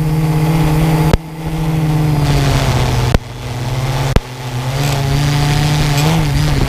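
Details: Quadcopter with GoPro: a steady buzzing motor drone that shifts pitch with throttle, broken by sharp snaps and brief dropouts. A strange noise; cause unknown.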